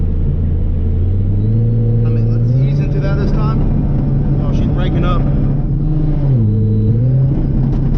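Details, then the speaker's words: Supercharged car at full throttle while datalogging: revs jump to about 6000 rpm within three seconds, then the note sags and stumbles at high rpm; the engine is breaking up under load, cause unknown. "why are you breaking up like that can all hear that no she's breaking up"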